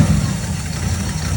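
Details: 1959 Buick V8 just restarted after wiring work: deep, steady low rumble with even firing and no knocks or misses; idling smoothly and healthy, normal idle.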